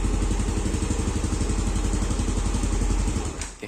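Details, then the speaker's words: Yamaha Aerox scooter with a manual ISC, coolant and intake air at 30°C, after error codes were cleared: a steady, even single-cylinder idle with no misses. Normal idle. "langsam sih normal ya, Guys."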